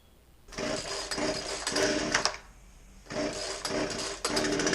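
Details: Poulan 2150 chainsaw with a won't-start complaint, after a basic tune-up with a fresh air filter: small two-stroke snarls up in repeated throttle blips and drops back cleanly, no stumbling; running properly.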